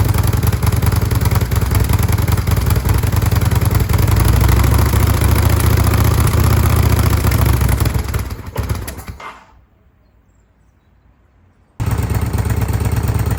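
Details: 2005 Kawasaki VN800C V-twin, about 130,000 km, after storage since about 2015: thumps at a steady low idle, cuts out for a couple of seconds, then catches again; healthy running.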